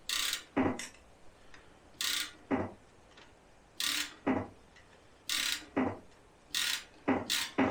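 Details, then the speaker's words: 1977 Daimler Double Six V12, sitting since 1982, heard through a stethoscope on one injector: sharp paired clicks each time it is triggered, so this injector works. Few injectors click while cranking, and a trigger board issue is suspected. "Alright, so that one I can hear it actually clicks when I'm doing this."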